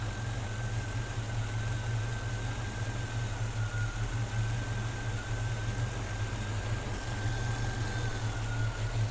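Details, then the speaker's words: Engine with newly installed throttle body system: throttle plates slowly opened, idle rises from about 610 toward 650 rpm; low steady hum, even, no hunting or stumble, normal base idle. "Now I usually do this very slow. You can hear the engine starting to go up."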